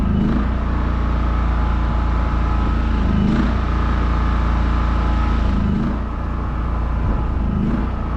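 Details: New WEN 56380i 3800-watt inverter generator at first startup from unboxing: smooth, steady low drone at even speed with slight load swells, no knocks or rattles; runs healthy.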